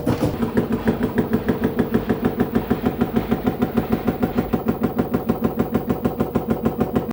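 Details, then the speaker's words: LG F-1220TD washing machine, shock absorbers replaced two months earlier: rapid even knocking over a steady motor hum, a typewriter-like knocking as the drum bounces, suspected worn drum bearings; later fixed by replacing bearings and seal. "nadal słychać pukanie pojawiła się maszyna do pisania to pukanie powodem jest bęben podskakuje"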